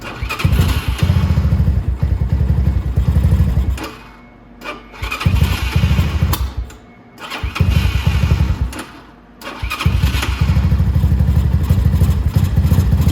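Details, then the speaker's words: Cold single-cylinder motorcycle (X2, 125/250) with a stalling problem: idle keeps sagging and nearly dying every couple of seconds, then recovering; owner attributes it to being cold, with low idle, vacuum leak or dirty jet as suspects. "okay so now See's about to die again and this right now is just because it's cold a little bit"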